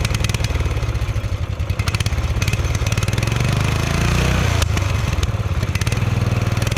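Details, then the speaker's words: Murray ride-on lawn mower, reportedly sat 1–2 years, first start: loud, fast, ragged clattering that surges and sags; choke stuck on and hard to push, throttle jammed wide open, causing very rough running. "Okay, so the choke was flipped on, and it's very hard to push for some reason. So that's why it was running real bad. And then it was stuck wide open, so it was running even worse."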